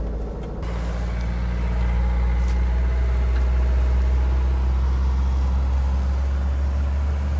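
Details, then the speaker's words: Old Mercedes 123 diesel left five years in a backyard, glow plugs suspected bad: it catches and settles into a steady low clatter as revs climb and even out. Normal start and idle after long storage. "слышите обороты повышаются Опа вот это то что я говорил"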